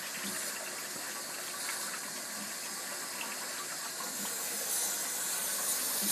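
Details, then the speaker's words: Two-zone baseboard hot water heating system being bled: soft steady hiss with faint spitting and gurgle as trapped air vents from the bleed hose while fill water replaces it. "all right yeah I can hear the air coming out of this thing"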